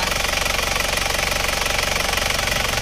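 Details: Isuzu Panther automatic diesel, after a ring and valve-seal rebuild, warm idle at working temperature on a road test: even clatter about three beats a second, no misses or extra knocks, and no visible exhaust smoke. Healthy.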